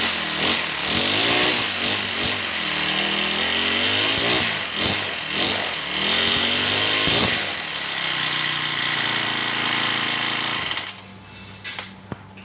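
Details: Honda GX35 brush cutter after a new air filter (the old clogged one restricted carburetor fuel flow) and tuning: buzzes high and steady with clean rev blips before shutting off; runs normally with no misfire or stalling.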